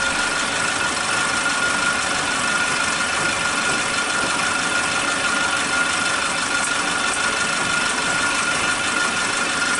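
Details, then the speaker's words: Suzuki Katana engine idling after the faulty old spark plug wires were replaced with a cheap new set: very stable, flat, constant idle note with no stumbles or dropouts; normal idle. "suaranya stabil banget, datar ya suaranya, konstan."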